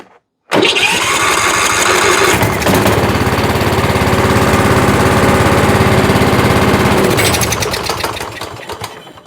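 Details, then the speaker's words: Troy-Bilt riding mower with a Kohler Courage engine, newly fitted aftermarket carburetor, cranked at idle and choked by hand: it catches within a second and settles into a loud, steady single-cylinder run with no stumbling or surging. "And let's see if she's gonna start and run now. I'm gonna crank it up at idle and I'll just choke it by hand."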